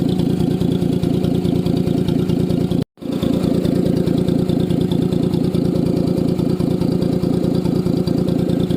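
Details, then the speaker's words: Maruti Alto petrol car idling after its silencer caught on a speed breaker and cracked: loud, raspy, even puffing from the exhaust; cracked, leaking silencer. "उसका silencer जरा सा फट गया है और उसकी आवाज भी कैसी आ रही वह भी आपको सुना देता हूं"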